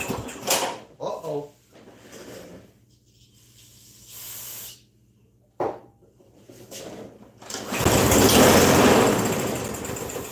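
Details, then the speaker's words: Briggs & Stratton 550EX 140cc engine on a 21-inch Yard Machines self-propelled mower under diagnosis: several short pull-start bursts that die out, then a rough, uneven roar as it finally catches; starts poorly. "Well, as you can hear, it's not starting the way it's supposed to. It's still starting a little crappy."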